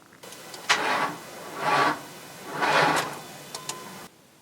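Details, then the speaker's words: Ford Crown Victoria Police Interceptor 4.6 litre V8, three slow laboured starter cranks and then nothing; old battery is very dead after the car sat around as a pool car, then for weeks at New York Harbor and during shipping. "yeah the battery is very very dead it was quite an old battery when it was working in America"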